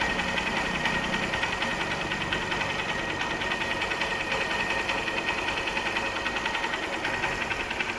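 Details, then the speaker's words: Honda CB Shine after repair for white smoke and oil loss, with new cylinder block, timing chain, valve seals and gaskets, piston not bored, fresh engine oil: even single-cylinder idle with light regular valve ticking, no knock or misfire; normal idle. "इस तरह का sound है इसमें, ऐसा बाहरी कोई भी sound नहीं है इसके अंदर।"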